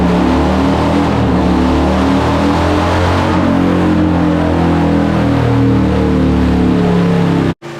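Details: 2007 Harley-Davidson Heritage Softail on dyno after ECU flash and tune, new fuel pump and fuel pressure regulator fix for lean running: loud, strong, even full-throttle pull at high revs, no popping, missing or hesitation; running healthily.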